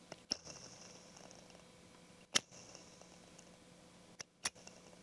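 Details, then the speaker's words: Small cooling fan in a 1996 IBM RS/6000 43P model 140, run outside the case before oiling: faint rough purring rasp and thin hiss. Dry, crusty, gritty fan bearing, later treated with 3-in-1 oil. "Definitely some crusty bearings."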